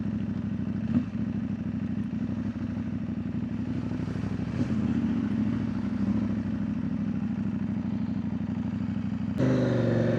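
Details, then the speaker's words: CFMOTO 800NK twin idling steady with light valve-train clatter but no loud rattle; owner unsure whether some rough noise remains, would suspect the timing chain if so, hoping it needn't be replaced. "Nampak dia okey je."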